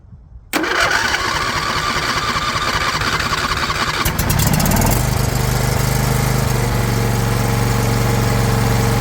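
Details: Non-running John Deere LA120 lawn tractor that quit starting months ago, battery recharged, no choke: brief crank, then catches at once and settles into a steady, even single-cylinder run; normal start and idle.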